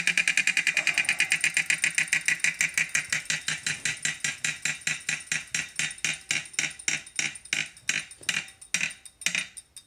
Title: Kickr 2018 Clunking Noise